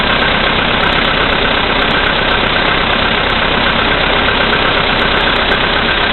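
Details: VW Polo Sedan, CFNA engine, 2222 km, cold start at -5°C after sitting overnight, oil three matchsticks below max, 98 fuel: sharp, fairly regular tick-knock two to three a second over the idle, stronger under electrical load; cause unclear.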